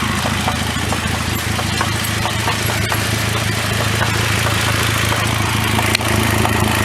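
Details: 2009 Cadillac CTS 3.6L LY7 RWD with 6L50E automatic running: light, irregular knock roughly twice a second, too inconsistent for a rod knock, loudest through the transmission inspection cover; flexplate failure, perimeter separated from plate.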